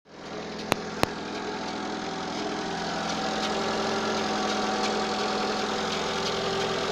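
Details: Citroën AX 1.0: light, uneven rattle of about three taps a second over a steady idle, coming from the right side of the engine bay; engine rattle at idle, cause unknown.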